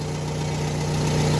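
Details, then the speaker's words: Car after repair (pump another mechanic condemned was apparently not the fault): steady, even low idle with deep exhaust note from a dented exhaust and no whine; belt-drive noise gone, running normally. "ó acabou o problema só o escapamento do meu que tá batida aqui aí faz um barulho mais grave mais aquele acabou"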